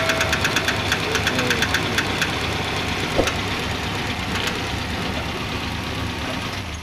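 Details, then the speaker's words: Suzuki Carry 1.0 at idle: quick light ticking about five a second that disappears when the clutch pedal is pressed, so not from the engine but the clutch area; clutch removed to confirm; clutch release bearing knock at idle. "Nah Barusan ada bunyi the top Nah kalau diinjak kopling hilang hehehe Oh berarti bunyi tersebut bukan dari mesin bunyi tersebut daerah kopling"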